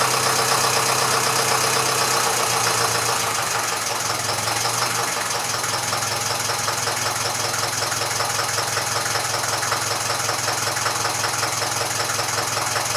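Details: Massey Ferguson 35 (835) tractor with Standard 23C diesel, first run in at least a year: steady, even idle clatter with no knocks, misses or hunting. It runs well with some blow-by expected for its age; the owner suspects a coolant leak from a hose clamp.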